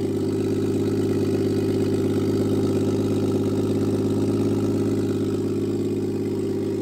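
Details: Toyota Aristo on a Garrett G35-900 turbo, first start after the install: loud, raspy but steady idle with an even beat and no stumbles; runs fine, just loud with only about six inches of exhaust off the turbo.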